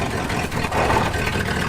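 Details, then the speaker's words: 1974 Ford F-250 Highboy that was running lean, after reinstalling the EGR plate and valve and plugging the PCV port: even, steady cold-start idle with no choke manipulation; normal cold idle. "the truck was now idling from a cold start with no choke manipulation at all"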